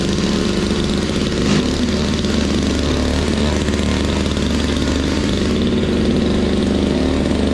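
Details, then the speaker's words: Toro Powerlite single-stage snow blower, model 381182, 98cc two-stroke, 16-inch width, clearing a sidewalk after warm-up: loud, even drone holding steady speed under load, no misses or surging; runs healthy, throws snow not far. "don't know, I think it works pretty good. It doesn't throw it real far, but it still beats the shovel, that's for sure."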